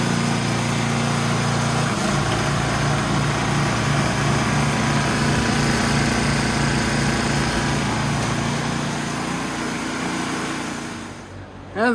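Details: Ariens snowblower after fixing drive belt falling off and reinstalling chute cable: small single-cylinder engine picks up and holds a steady, even beat for ten seconds, then shuts down; runs normally.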